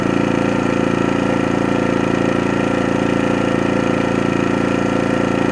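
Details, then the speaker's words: New AIVOLT 4300 inverter generator on gasoline, first run in eco idle, off level ground: even fast putter around 214 beats a minute, no knocks or misses; may be burning some oil, but looking good; normal idle. "It may be burning some oil, but yeah, looking good, looking good."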